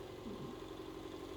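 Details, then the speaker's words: Sovol SV07 Plus Klipper 3D printer, input shaper Y-axis resonance test around 40Hz: low steady buzz with faint pulsing rattle, bed moving heavy weight, shaking felt through floor, no visible movement; normal. "The whole printer, the whole bed is shaking and we are only at 40Hz right now. You can only hear it buzzing, but it's not moving, no visible shaking anymore."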